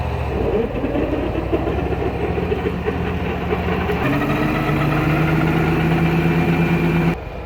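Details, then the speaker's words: Mower deck test run before work on a broken blower housing: steady even engine hum with a smooth spinning deck tone, no knocks or scraping; the newer deck sounds fantastic and runs healthy. "okay the deck sounded fantastic that deck is newer so I didn't expect too many problems"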